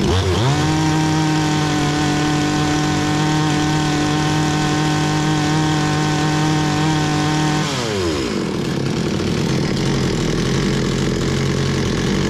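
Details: Bolat 5820 two-stroke chainsaw, brought in stalling, after air filter cleaning and stop switch repair: revs up cleanly, holds a steady even high note for several seconds, then drops smoothly back to idle; running healthy.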